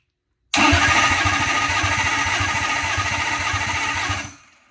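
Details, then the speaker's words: Lexus SC400 4.0 L V8 cranked with the faulty start signal wire bypassed: starter spins the engine briskly and evenly for about three and a half seconds; healthy cranking, start signal wire found to be the problem. "should okay that sounded healthy that's our freaking problem this whole time this start signal wire"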